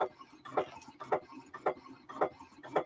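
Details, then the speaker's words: Cutting machine newly unboxed: steady soft ticks just under two per second, a noise it wasn't making before, cause not yet known; ticking noise. "It's making a noise it wasn't making before."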